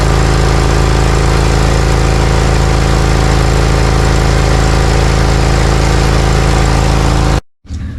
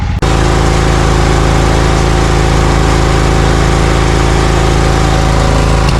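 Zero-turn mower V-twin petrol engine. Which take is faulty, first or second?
second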